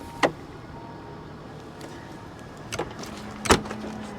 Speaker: Hopefully all the solenoids and switches work. It seems like it's all working pretty good. Yep, there we go. She latched down, windows are going up, and it's done.